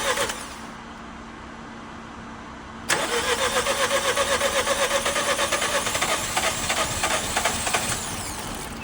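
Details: Nissan Juke 1.2 DIG-T turbo petrol after timing chain kit replacement and engine rebuild, coolant refilled: after a pause it cranks, catches at once and settles into a steady, even idle with no knocking or rattle; healthy start and idle.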